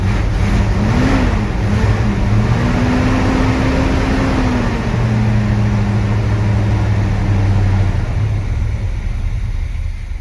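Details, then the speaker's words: 1970 Chevrolet C20 truck first start with new fuel pump, choke not hooked up, little fuel: low hum whose pitch wanders up and down, hunting and dying, won't hold idle. "all right so it's not getting idle right off the bat"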